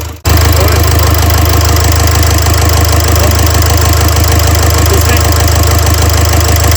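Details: Renault Trafic 2 / Opel Vivaro van, M9R780 2.0 diesel with piezo injectors 0445 115 007, idling to warm up with cylinder 2 injector clamp removed: loud clatter with an uneven beat of about three pulses a second. Fault codes show a cylinder 2 injector circuit short and misfire.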